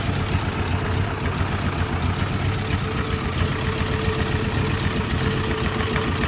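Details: Toyota 22R rough idle: low hum pulsing unevenly, about three to four beats a second with no steady rhythm; timing at the distributor is being checked, cause not pinned down.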